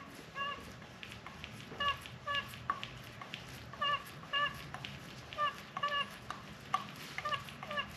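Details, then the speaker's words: 2008 Yamaha FZ1 with a whine noise, removed oil/water pump assembly turned by hand with coolant and oil drained: sharp chirping squeaks about twice a second from the water pump outlet side, felt as a shudder in the sprocket. "sounds like it's coming out of the outlet side of the water pump"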